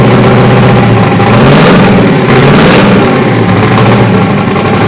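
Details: Freshly rebuilt turbo 5.3 LS (LH6) V8, S475 turbo, Terminator X Max, stage 2 turbo cam, on first start: loud, steady rumble at an even pace, no knocks or misses; runs healthy, though oil is blowing out and fuel leaks.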